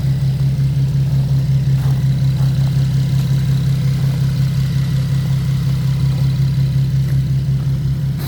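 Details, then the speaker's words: 2015 Nissan 370Z, rebuilt Copart car after front-end collision and frame repair, idling after a cold start: smooth, steady low hum with an even beat, no knocks or ticks; running good. "all right it's running good"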